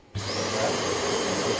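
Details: Hoover HL500PT vacuum with plate temporarily fitted, long hose on: motor starts abruptly, settles into steady even roar with constant high whistle; red light gone, white light on, running normally.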